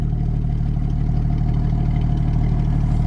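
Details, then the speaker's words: 1977 Ford 300 straight-six truck: a smooth, steady low rumble with an even beat around three per second, no knocks or ticks. Normal, healthy idle. "Listen to that thing purr."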